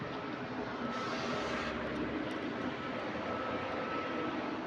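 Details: GAL EH179 electric bus on route 321: smooth steady high motor whine over road hum, no knocks or roughness; healthy electric drive after weird noise was fixed.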